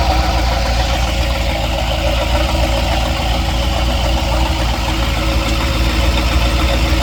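Steady idle with a dull tapping, roughly three or four knocks a second, sitting over the engine's drone; a knock worth chasing down.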